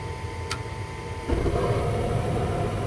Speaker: clean ignition. Gas-fired unit, obviously.